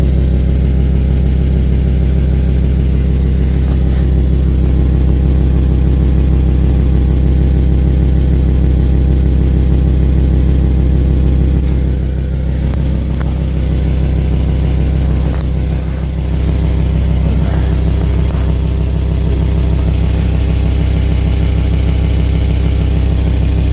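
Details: Volvo V70 XC idling: rapid, regular puffing tick riding on the deep exhaust drone, an exhaust leak.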